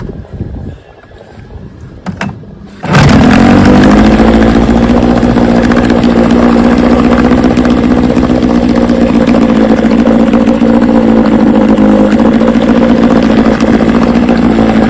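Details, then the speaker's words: 1968 Johnson 9.5 HP two-stroke outboard in test barrel after universal pulse fuel pump upgrade replacing a dead-diaphragm pump: catches quickly, steady even buzz at constant pitch, no misses or surging. "she runs good, really good. I'm gonna take her out, maybe right now."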